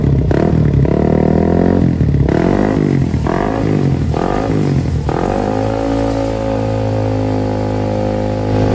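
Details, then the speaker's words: Suzuki GSX motorcycle after service (throttle body cleaned, fresh Federal Racing oil), owner had complained of rough, noisy engine: blips then settles into smooth, even idle, top-end noise gone; normal idle after repair. "Nah, sekarang suara berisik di permesinan sudah hilang dari muka bumi ya, adik-adik."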